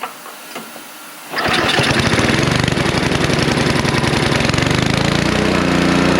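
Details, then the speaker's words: Snow blower after a carburetor cleaning, cold and not yet adjusted: catches after about 1.5 seconds and settles into a steady, even run; later noted to be hunting. Normal start and run. "what's up homie oh it's going bud oh that's a good sound yeah we're nearly there she wants to go well she wanted to go"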